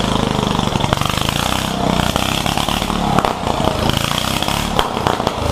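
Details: Yerf-Dog one-seat go-kart with a newly installed Predator 420 engine, being broken in: quick, even single-cylinder putter with no misses or knocks; it runs fine.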